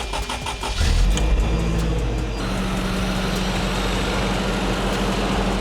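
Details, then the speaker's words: 1985 Toyota 4Runner after radiator and hose work and coolant refill: engine catches quickly after a short crank and settles into a steady, even idle with no knocks or misses; normal start and idle. "Sounds good so far."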